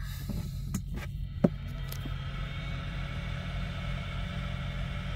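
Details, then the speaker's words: Coleman cooler after its noisy fan was replaced: a click at start, then a low, steady hum with faint even tones and no rattle or grinding; normal, quiet operation. "so nice and quiet i put this wiring on the corner and that works"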